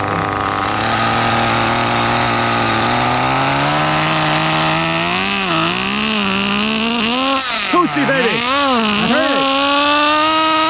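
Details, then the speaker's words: CEN CT5 1/10 nitro touring car with two-speed transmission, during first-start tuning after mixture leaned: engine screams up, pitch drops and wavers early as second gear engages too early. "Yep, I heard it. It just engages early. No, the 2-speed was The two-speed hit."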